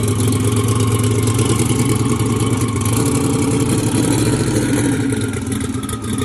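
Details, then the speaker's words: Drag car idling during testing, two-step just adjusted: loud lumpy race idle with faint irregular pops in the exhaust beat; slight popping at idle, cause not pinned down. "It sounds. Can you hear it popping at idle? A little bit. It sounds like it's got a spark in it."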